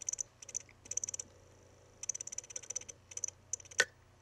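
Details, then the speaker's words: Crashed Mac mini hard drive: bursts of quick high ticks as the read head seeks, a sharper thump believed to be the head slamming the park-position stop, then chirps possibly from the platter or head. "one of them is kind of like a thumping sound and that sound i'm pretty sure is the sound of the read head being forcibly slammed against the park position stop"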